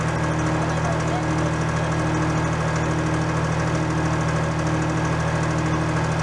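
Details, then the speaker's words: Case 485 loader tractor diesel, first start after head removal and reassembly for coolant filling the cylinders, cylinders not blown out, steady low idle with soft rhythmic puffing; an injector isn't sealing in its bore, leaking air and vapor. "Injector isn't sealing properly in the bore, but it's no, it's not so bad it doesn't run, but we're getting little puffs of air, a little bit of vapor past."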